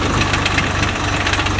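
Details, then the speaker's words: Swaraj 744 FE tractor, gearbox noise in all gears and at idle, worse under field load: rapid regular knocking ticks over the running drone, unchanged from gear to gear. "కొన్నిసార్లకి fourth గేర్లో sound రాదు కానీ దీనికి అన్ని గేర్లలోన sound వస్తుంది"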